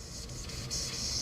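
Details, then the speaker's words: Nissan S14 with a 1JZ engine, boost leak test at 10 psi: a sharp, steady air hiss swells as the intake holds pressure, escaping from a leaking boost hose. It explains boost dropping from 22 to 16 psi. "There's our boost leak. There's where our horse pressures are going to."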